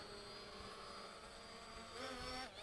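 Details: ZLL SG906 Max drone after removing the obstacle avoidance sensor: smooth steady propeller whine rising briefly as motors spool up on takeoff; even and clean, flying normally.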